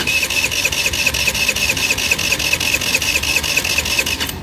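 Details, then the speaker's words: Tao Tao Pony 50cc GY6 (139QMB) scooter on a wet day after shutting down on the road: steady starter churning with even compression beats, no fire, not even a puff; owner suspects a shorted CDI, unconfirmed. "now it's giving me a crank but no start so if i come over here crank it up like it's not even trying"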